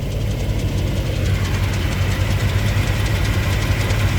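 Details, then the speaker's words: 1991 Lexus LS400 after transmission oil pump seal replacement and Trans-Go shift kit, idling in gear with rear wheels turning: rough metallic clatter about three per second near the torque converter; owner unsure, suspects possible exhaust leak. "sounds like it's clattering up by the torque converter I'm assuming that means it's getting fluid right can hear it right up in here"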